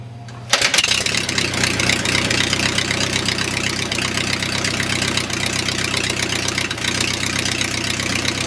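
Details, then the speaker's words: 4A084 aircraft engine converted from military generator engine, fuel injected with priming system, about 75°F, hand-propped: catches at once and settles into steady, even idle with no misses; normal start. "this engine starts just as good at 30 degrees as it does at 70"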